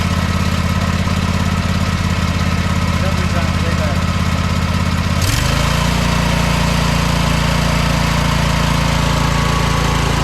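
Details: John Deere lawn tractor after the muffler's holes and seams were flux-core welded: small single engine settles into a steady, even low thrum with a pitch step around five seconds; no ticking or puffing, exhaust sounds sealed.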